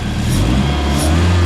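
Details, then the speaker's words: Budget Zetec turbo engine in a Mk2 Fiesta, revved after a cylinder shut-off test. It runs smoothly and evenly on all four cylinders, rich and still needing a tune; an HT lead was then found not seated properly on the coil. "I mean, it wants tuning, definitely wants a tune, but it's running and idling on all four."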